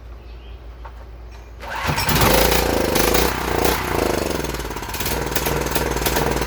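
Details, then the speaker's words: UST 3500 W generator, run on fuel squirted into the carburetor: quiet, then catches and runs lumpy and uneven; it runs and puts out power but the clogged carburetor is to be replaced. "Alright, it will run and it will put out power. So I'm going to go ahead and order a carburetor."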